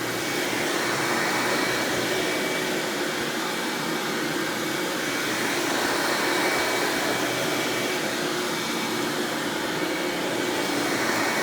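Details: 1997 Hoover Dirt Finder Power Drive self-propelled upright vacuum, model U6331-930, Elite style, running: steady, even motor roar with light airy hiss, no knocks, rattles or pitch wobble; exceptionally smooth, surprisingly quiet, normal running.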